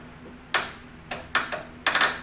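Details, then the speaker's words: Murray riding mower with Briggs 12.0 hp engine that was partly seized, turning the key after fitting a new solenoid and filter: four or five sharp metallic clicks with no cranking, seeming to come from the starter; cause not yet found. "for some reason every time I turned the key it will click like like watch"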